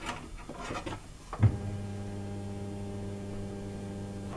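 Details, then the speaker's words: Nissan 240SX S13 with stock RB20DET, newly installed cheap 255 LPH in-tank replacement fuel pump tested before fitting the cover: after a click, a steady low electric hum with even tone, no rattle or whine; pump healthy. "We just want to hear the fuel pump run, know that fuel's being sent up."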